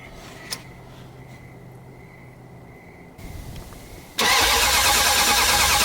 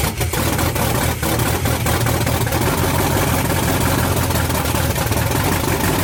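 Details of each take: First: '78 Dodge Power Wagon with a 383 V8, sitting over 10 years, fuel poured down the choke: steady starter cranking at about three beats a second, never catches; owner suspects distributor position, coil ground or ignition module. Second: '78 Dodge Power Wagon with a 383 V8 from a '70 Cuda, first start in over 10 years on open headers, fuel added to the carb by hand after fixing a ground to the block: loud, deep, lumpy V8 rumble with sharp exhaust crackle; running normally.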